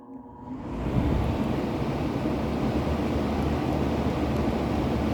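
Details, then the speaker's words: Vintage circa-1960 Hunter Zephair B2500A 18-inch two-speed electrically reversible window fan, freshly oiled, started on high in intake mode: spins up into a steady, even whoosh of air, no rattle or scrape; normal running. "low really quiet too like I am not hearing any motor noise at all from this"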